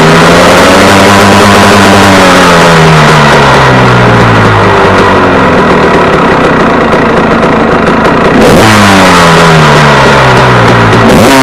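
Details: KTM 250 EXC two-stroke on 40 pilot jet, idle lifted slightly: revs swing up and sag slowly with rough crackly pipe bang as they fall; hanging idle, owner says it runs away from being too lean.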